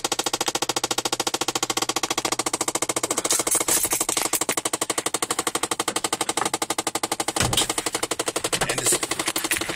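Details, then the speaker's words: 2006 Chevy Impala: fast even dry clicking about twice a second from inside the dash, occurring with factory remote start or switching heat to air, continues briefly after shutoff; cause unknown. "still makes when you cut the car off as well. And you can like hear it under the hood. Well, it's you can tell it's kind of more in inside the car."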